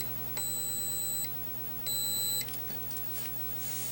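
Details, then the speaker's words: 1980 Atari Missile Command arcade PCB repair, logic probe on ground and 5 V: two steady high beeps with no pulsing, meaning no clock and reset not toggling; the clock crystal is missing, so a 10 MHz crystal is needed. "see that the crystal's missing there's no clock"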